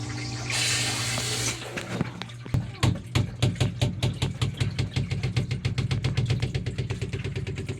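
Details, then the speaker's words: Sump pump discharge, 1.5 to 1.25 inch pipe: low pump hum and gushing water, then fast sharp knocks about six a second from water hammer at the check valve; to be replaced with a spring-loaded check valve. "We're getting water hammer in our check valve."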